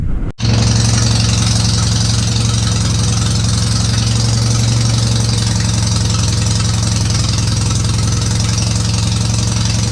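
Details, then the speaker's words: Citroën 2CV twin-cylinder engine after setting static timing and correcting reversed ignition coil connection, carburettor stood empty 20 years: quick catch, then steady, even putter at idle with no misses or bangs; running properly. "And there she goes! There she goes, people."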